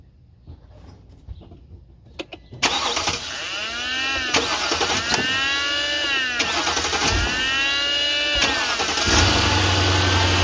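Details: Mercedes-Benz (R350/ML350/GLK350-type) cranking and starting right after drive belt replacement, tensioner pin removed; even cranking near four pulses a second settles into smooth steady run, belt and pulleys quiet: normal start.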